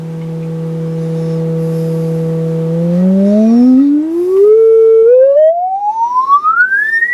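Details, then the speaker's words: Restored 1952 HP 200AB audio oscillator on the x200 range, amplitude maxed, played through a speaker; pure clean tone holds steady then glides smoothly up toward the top of hearing; normal oscillator tone. "Okay, I got a speaker connected so we can actually hear the tone. So if you got headphones on, you might want to turn your volume down a bit."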